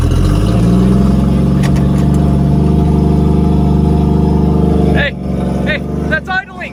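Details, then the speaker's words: 1976 Plymouth Valiant rescued from a scrap yard, running and idling on the trailer with its catalytic converter cut out: deep, loud, booming unmuffled idle with a steady low rumble, sounding like an airplane. "it sounds like an airplane because somebody cut the catalytic converter so the exhaust is like there it's running and idling"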